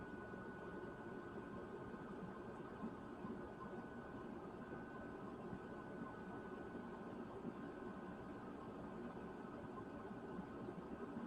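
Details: Newly installed Chinese diesel heater (Silvo) turned down to a low setting after warming up: soft, steady fan whir with a faint even hum, no knocks or rattles; running smoothly.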